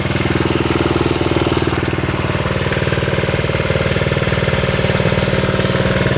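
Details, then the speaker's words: 1972 Honda CT70 single-cylinder, all-original auction bike being revived after a bogging issue, idling, running well with no smoke, headlight on; steady, even low putter, no misses or knocks; healthy normal idle. "Running pretty good now. No smoking. Turn our headlight on."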